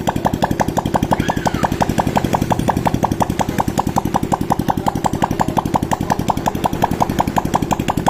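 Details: Honda Supra X 125 KPH after replacing piston rings and valve stem seals for white smoke, run without exhaust fitted: steady, even single-cylinder putter about three beats a second, no smoke; idles cleanly.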